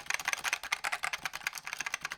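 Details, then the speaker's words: Keyboard with Alps switches: quick bright clacks about eight to ten a second, each keystroke with a loose, chattery edge; switches rattle quite a lot. "Yeah, so let's see if you guys can actually hear it. Yeah, you can hear it rattle quite a lot, actually."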